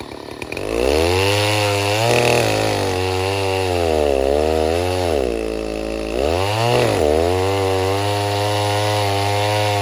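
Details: 070 clone chainsaw, 42-inch bar, first use cutting white oak firewood: high howl sags hard each time the chain bites, then recovers; bogs under load and won't hold revs; owner suspects carburetor he can't get tuned.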